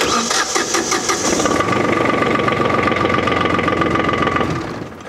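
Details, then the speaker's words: Old diesel tractor cranked on a lithium LiFePO4 battery (100Ah WattCycle or 140Ah LiTime test): quick crank catches at once, steady even diesel clatter, no misses or knocks, a little smoke; healthy start. "Let's go ahead and see how it cranks. Like a champ. Wow, a little bit of smoke. She's an old girl."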